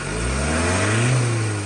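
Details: Ford Ranger diesel after fixing a crank-no-start, with new turbo hose and engine cleaned: rises smoothly in a short rev and falls back cleanly, no knocks, misses or hose hiss; running healthy.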